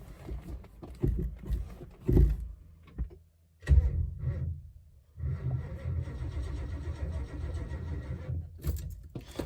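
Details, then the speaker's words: 1972 Lincoln Mark IV 460 V8, sat about four to five years, battery just reconnected: sluggish, uneven cranking in short bursts with long pauses and no catch; owner suspects low power or a bad connection; slow cranking, no start. "didn't sound too good it's turning over but it's uh turn that radio off I need that on doesn't have enough power or is bad connection"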